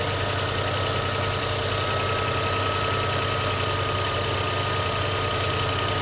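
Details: VAZ 2112 cold engine idling: dull, regular knocking under the running, source not pinned down; engine knock on cold start.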